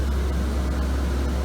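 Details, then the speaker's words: 2005 Chevrolet Kodiak C4500 ambulance, as bought: roof exhaust fan in the rear compartment running, even low drone with steady airy rush, no ticks or wobble; not the quietest but moves air out through the ceiling vent. "it's not the quietest but it's an exhaust fan it comes right here and it does move some air"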